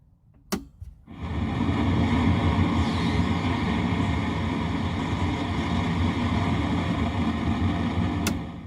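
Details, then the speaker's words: Marshall 1987 50 W head (2002 reissue), very noisy: after switch-on, a constant hiss with fine frying-bacon crackle over a low hum; tubes already tested good, plate resistors suspected, and a bad problem found under the PC board. "frying bacon it's breakfast time so we strongly suspect that that's probably going to be the plate resistors and that's really bad"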